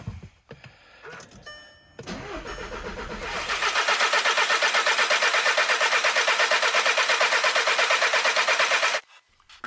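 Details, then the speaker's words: 2011 VW Jetta 2.0 TDI diesel (CJAA), after replacing and coding injector number one: even starter cranking, about three turns a second, no firing, clutch in, injector lines loosened to purge air and spray diesel before tightening. "so with all these being loose going to crank it over try to get some diesel spraying out of them then we're going to tighten them down clutch in"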